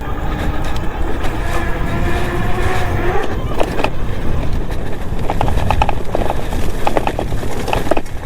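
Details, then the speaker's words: Engwe M20 e-bike with 48V 750W rear hub motor, riding off-road: irregular light clatters over tyre noise from the controller shaking loose in its tray under the seat; fixed with double-sided tape. "And it sounds like something's a little bit loose here. What the heck is rattling? The rattling noise was the controller shaking around in a tray under the seat."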